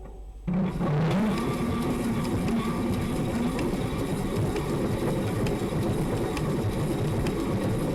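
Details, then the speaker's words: E-bike hub motor with 3D-printed PLA plastic reduction gears (20% infill), wheel installed: spins up into a constant coarse grinding rattle; loud noise from the plastic gears. "not cool so these gears making really loud noise"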